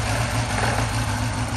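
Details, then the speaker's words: 2016-2019 Cadillac CTS-V LT4 6.2L supercharged direct-injection V8 at idle: uneven lumpy misfire, smoking and smelling of fuel on the driver's side; two leaking/stuck injectors dumping fuel, replaced after removing the supercharger. "so you can hear it's running a little rough like if it's"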